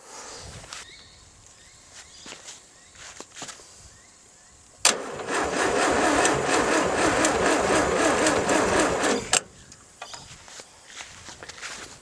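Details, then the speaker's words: 1600 VW air-cooled engine, sat about 10 years exposed to salt spray without air filter, not run long: about four seconds of sluggish cranking, roughly four turns a second, no firing; slow cranking, owner suspects poor factory braided earth cable. "Yeah, might need a bit of power from support team Sami. This could be interesting."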